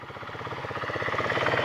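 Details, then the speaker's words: Chinese GY6 49cc four-stroke scooter; steady even idle with a quick regular pulse and slightly raspy exhaust: normal idle. "It's a good running little bike, these Chinese bikes. I mean, people talk a lot of shit about them,"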